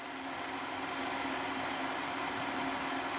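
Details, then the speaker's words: Hornby Class 57 model loco, previously dead, repaired and on rolling road at about 11 V, current just below 0.1 A; light steady whirring hum, even pitch, no grinding or stutter; motor running smoothly. "okay folks here we are now we've got the model on the test bed and we'll just turn on the controller and you can hear she's running"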